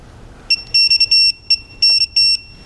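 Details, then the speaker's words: Digital torque wrench on the spool valve of a 2012 Honda Odyssey J-series engine (VCM oil leak repair), bolts torqued to 18 then 21 ft-lb: run of sharp high beeps, short chirps then longer tones, signalling set torque reached. "So, you want to be sure to try to get a nice clean beep like every time you do it instead of like a click click click beep click click click beep and try to get it in."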